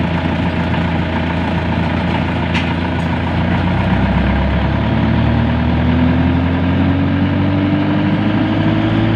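A steady low engine drone holds an even, unbroken idle with no stumbling or knocking; the generator is running normally.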